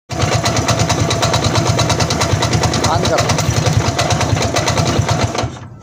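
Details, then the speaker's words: 100cc motorcycle engine at slow idle: quick, uneven light tapping about three per second over the exhaust beat; sounds like rod knock but disappears with slight throttle, caused by a loose bearing plate nut. "ऐसा है जैसे इसके अंदर य दोस्तों राड़ की आवाज होती है लेकिन यह राड़ की आवाज दोस्तों नहीं है तो इसमें ऐसा है कि जैसे ही हल्की सी रेस देते हैं तो यह आवाज गायब हो जाती है"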